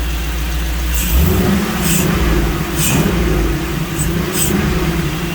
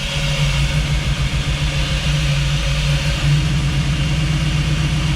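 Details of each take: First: Jeep V8 with multi-port fuel injection, back from exhaust shop, after fixing a serious miss caused by the tune being set for throttle body injection: clean revving, all 8 cylinders firing, smooth, no stumble or miss. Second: Jeep V8 idling through new open true dual exhaust, recorded up front; uneven lope with occasional stumble and visible shake; cause was the injection setting being wrong in the tune; misfire at idle.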